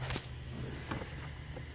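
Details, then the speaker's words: Turbocharged build on its first start after turbo mounting, in high idle: steady hissing rush over the engine with sharper puffs while cranking; air escaping, traced to a loose screw at the turbo pedestal. "She's in high idle. What is that leak? That doesn't sound good. We've got air coming"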